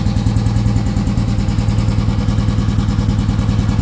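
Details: Royal Enfield Himalayan single-cylinder after its dead battery was jump-started with wires from an old Bullet (a recurring problem): steady, unhurried thump at about 200 beats a minute; a healthy idle.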